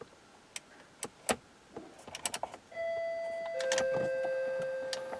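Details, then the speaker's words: Dodge Durango with blower motor, resistor, HVAC switch and ignition switch already replaced by another shop; toggle-switch hookup blew a 30 A fuse. Key on: clicks, ticks, steady vacuum hiss and thin tones from the door actuators, but no blower motor hum; blower not running. "Sounds like they're vacuum. Yeah, they are vacuums. I could hear it hissing, but definitely no operation."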